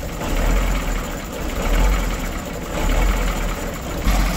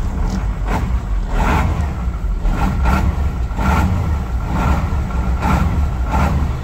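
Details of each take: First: 1986 Ford F8000 with 3208 Cat V8 10.4 L turbo diesel, sat about 8 years, just started after wiring the solenoid, water level unchecked: loping, uneven idle at roughly fifty surges a minute, like a heavy cam; rough idle. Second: 1986 Ford F8000, Cat 3208 10.4 L turbo V8 diesel, sat about 8 years, just started, coolant unchecked: clean rise and fall on repeated throttle blips, no miss; earlier lopey cam-like idle smoothed out, running normally.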